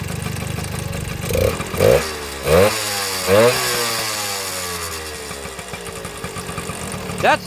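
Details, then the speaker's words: 1972 Kawasaki MT1 small single kick-started on choke: fires up, quick throttle blips rising and falling cleanly, settles to steady idle; runs fine. "sounds nice, huh? See if I can get you guys to... Alright, not bad for a runner."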